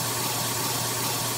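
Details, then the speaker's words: Central AC air handler with panel removed: steady harsh rushing noise over a low motor hum and no airflow; blower wheel (squirrel cage) loose on the motor shaft, not low refrigerant; evaporator and suction lines freezing. "Okay, as you can hear, it's very noisy and we have no airflow with the panel removed. That's an indication there's a problem with the blower motor where it makes contact with the squirrel cage to pull the air through the evaporator coil."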